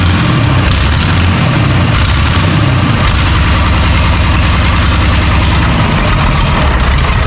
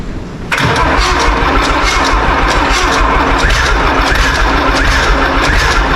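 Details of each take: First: John Deere 3130 diesel tractor first successful start after sitting, leaking brittle fuel leak-off pipes; loud steady clatter settling to a lower even idle after a couple of revs, running evenly; normal diesel idle. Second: Old John Deere 3130 diesel tractor, first start after sitting, cold; catches and runs with an uneven, lumpy beat, seemingly firing on only about three cylinders, suspected to need heat. Rough running, misfire.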